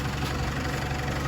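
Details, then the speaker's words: Isuzu D-Max diesel, reassembled and running again after a crank-no-start repair (fault codes had shown EGR and camshaft position faults): a steady, even low diesel rumble with no misses or knocks, a healthy idle. "Maybe a bit of plastic to go over and a battery clamp to be put in, but other than that, it is up and running."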